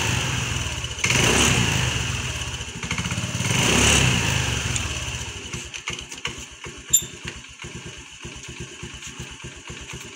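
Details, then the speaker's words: Honda Dio scooter started after fitting a new air filter. Quick, even putter after a few blips with no misses or hesitation. The sound is much improved compared with before the filter change. Normal running. "Air ফিল্টারটো লগোৱাৰ পিছত এতিয়া মই start কৰিলো স্টার্টটো আগতকৈ বহুত বেছি মানে ভাল লগা হৈছে এতিয়া মানে সাউন্ডটো শব্দটো আগত যেনেকা আছিল তেনেকা নাই এতিয়া অলপ আগতকৈ বহুত ইমপ্ৰুভ হৈছে সাউন্ডটো"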